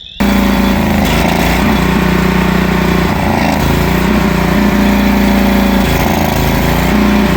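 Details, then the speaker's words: Northstar 10000 PPG 10 kW generator bought at auction, condition unknown: a wavering, uneven drone that keeps stumbling and surging. Rough running from a dirty carburettor. "Carburetor's dirty."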